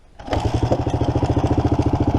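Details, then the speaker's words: 1987 Kawasaki Mojave 250 water-cooled four-stroke ATV, right after startup, throttle sticking: rapid even thumping about twelve beats a second with loose metallic slap, tensioner sounds completely loose; timing chain slap. "timing chain smacking a little yeah throttle sticks the timing chain sounds like the tensioner is completely loose"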